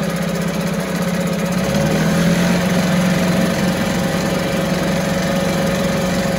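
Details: 1974 US-made Mercury 4 hp single-cylinder two-stroke outboard, revived after long storage, running in a test tank after reassembly: steady buzzy running with smooth rapid beat, no misses or knocks, runs like a top; normal running.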